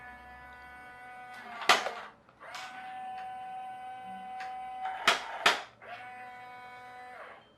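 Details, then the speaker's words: HL Toys RC bulldozer power scraper SW HL 3058: thin electric motor whine with sharp clicks when steering is pushed too far to its limit — steering clicking at end of travel. "and if I push it too far then it does make horrible clicking noises."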